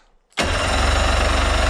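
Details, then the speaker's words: Suzuki DT65 outboard, non-running, with fuel, compression and spark confirmed: abrupt loud pop then harsh rapid popping chatter never settling into clean run; backfire on start attempt, owner suspects ignition timing, not confirmed. "however if you're sparks not sparking at the right moment this happens"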